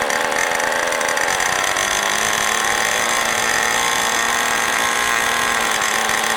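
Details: New OS 40 FSR model engine, second tank of break-in (first tank all full throttle): steady very high-pitched scream with no dips, held at high rpm, higher than wanted; high and low speed needles still need adjusting.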